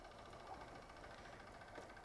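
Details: 2015 Honda Fan 150 at 62,000 km, started after riding about a hundred-odd km, showing the earlier engine noise is much reduced: quiet, even single-cylinder idle with a soft steady patter, no tapping or rattle from the clutch side; normal idle.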